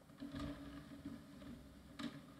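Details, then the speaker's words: Scrapyard optical drive that shows up but won't spin up: two brief motor whirs about a second and a half apart as the tray opens and closes immediately; owner suspects a mechanism problem, tray not reaching full-open position. "can we eject from here okay so opens and closes immediately I think there may be"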